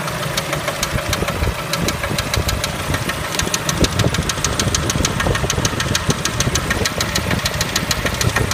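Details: Kia Spectra engine at idle: rapid, hard metallic ticking riding steadily over the idle, a few beats per second; engine knock of unknown origin.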